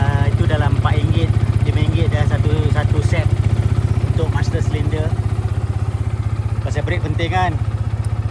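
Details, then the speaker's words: Yamaha FZ150i, exhaust repainted, recorded with a wireless mic near the engine: steady, even single-cylinder idle about four beats a second, no metallic knocking, clean regular exhaust note; normal idle. "Ha ni bunyi enjin kita. Saya gunakan wireless Go ni tengah punya enjin dia tak ada bunyi knocking apa-apa dari segi metal e."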